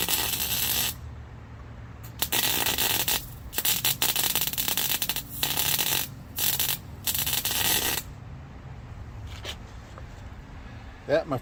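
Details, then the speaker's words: MIG welding without shielding gas (gas bottle ran out) on a homemade fuel-pump lock ring tool for an '04 Honda Civic DX; harsh spitting crackle in short irregular bursts, spattering instead of a smooth sizzle, producing poor welds. "is what happens when you weld without gas i'm hoping that it will be strong enough"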